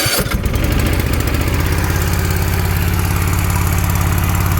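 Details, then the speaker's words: Toro TimeCutter 42-inch zero-turn mower after its carburetor jet, corroded with green slime (owner suspects wrong ethanol fuel), was cleaned: it starts with a little choke and runs a fast, even chug with no surging or misfire, a normal start and idle. "started it up fired right up ran motor ran and you know now it starts choke a little"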